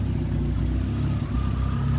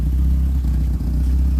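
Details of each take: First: 1991 Peugeot 505 wagon; even low idle rises smoothly in a quick blip and settles back, no knocks or misses: smoothly running engine. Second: 1991 Peugeot 505 wagon at idle; deep booming low rumble with a hollow droning echo from the rear, loud because the exhaust needs a muffler.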